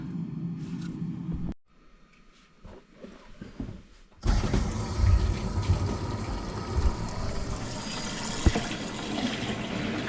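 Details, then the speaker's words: House cold-water pipework after the stop tap was changed and a whole-house shock arrestor fitted, cured of years of water hammer: water rushes in and runs with a steady hiss, no banging or knocking. "Bloody hell. No more banging though. Nothing. Oh, that's sweet."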